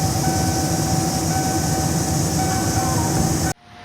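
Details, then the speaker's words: 1997 Ford F-250 with 7.5L 460 V8 running after PCV valve and fan clutch replacement: a steady, thin squeal rides over the V8 rumble without wavering, from the worn original belt tensioner assembly, which was then replaced. "so once i threw this all together my tensioner assembly started squealing real bad and it was original"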